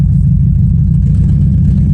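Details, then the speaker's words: 1996 Honda Odyssey RA1, warm, on first test drive after EGR port cleaning and a junkyard distributor install; heavy, lumpy low rumble under load with an uneven beat. Misfiring because the plug wires were put on in the wrong order. "Sounds like it's misfiring. I need alignment since I changed out the steering rack. I need alignment bad. It don't sound good though, to be honest. Sounds like it's misfiring."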